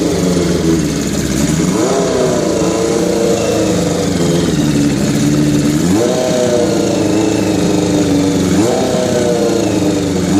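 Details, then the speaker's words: 1981 Kawasaki GPz550 four-cylinder, first start after frame-off restoration and engine teardown, not run since 1994, idle turned up; fairly even idle with three clean throttle blips, carbs may still need syncing. "I had to turn up the idol so I didn't have to bother playing with the throttle but you can kind of hear it's kind of idling pretty good considering it as I'm running a hell of a long time"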